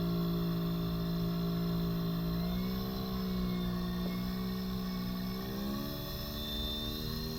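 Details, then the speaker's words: JUGS Changeup machine controller after repair, tested on a smaller substitute motor: steady motor hum whose pitch steps up smoothly as speed is raised, showing the controller regulates properly; speed is kept low to avoid overloading the small motor. "does increase as well. I don't want to increase it too high because this motor is small and I can overload it."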